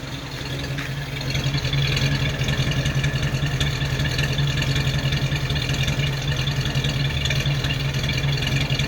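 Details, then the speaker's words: Old flathead six car, running cold: even deep idle with steady exhaust pulse; said to sound better warmed up; normal idle. "pretty good huh it sounds better when it's warmed up it's a good old car i like it i really do"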